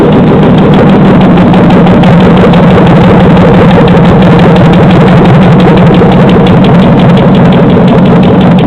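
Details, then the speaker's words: 2007 Chevy Silverado 5.3L LH6 aluminum-block AFM/DOD V8, run on an engine stand with a swapped harness, about 644 rpm, 86° coolant; fast, even tick, roughly three per second, over the idle; owner suspects lifter tick, hopes not rod knock. "oh turn it off definitely got some kind of tick I would say lifter tick probably pretty sure"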